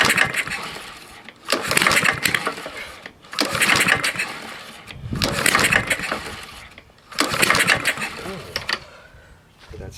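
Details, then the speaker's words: Husqvarna lawn mower just after starting, following a filthy air filter and fouled plug: rough bursts of sharp crackling snaps about every two seconds as it revs. Seems low on compression; owner suspects a bent pushrod or possibly a bad rod. "sound that's kind of weird i'm gonna give it a little gas a little noise should we have clearance under here oh this might have a bad rod or something"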